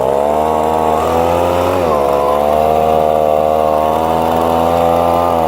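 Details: Echo leaf blower, two-stroke, after installing new carburetor, fuel pickup and air filter; started cold, too much choke noted. Strong, steady high buzz with a brief dip near two seconds, then settles even and clean; runs normally.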